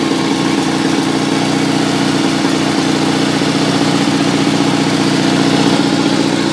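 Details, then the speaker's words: 1974 Sears Suburban SS16 twin-cylinder tractor, cold start after cleaning and washing: both cylinders fired, a little flooded, choke used. Steady, even putter with no misses or knocks. Normal cold idle. "there we go that sounds normal now still cold of"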